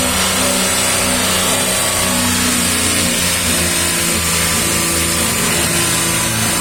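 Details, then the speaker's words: 2019 VW up! TSI, 50,000 km, clutch kit replaced two months earlier, microphone under the gearbox, engine held at 3000 rpm: rough chattery rattle when the clutch pedal is pressed; fork suspected vibrating on the actuator. "daí em rotação alta 3000 giro ele faz o barulho como se tivesse tripidando o garfo sobre o atuador certo isso em mais Giro Alto ele tripida mais em giro baixo se sente só uma ceguinha no pedal da embreagem"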